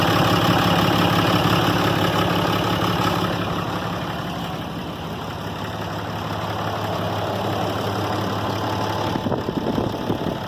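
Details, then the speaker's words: 2012 RAM diesel after its failed VGT turbo (HE351) was rebuilt and reinstalled, first start: fires promptly, settles into a steady even idle with light clatter, no surging or turbo noise; normal. "so we're gonna start it see what it does okay kion okay that noise I haven't heard in a long time"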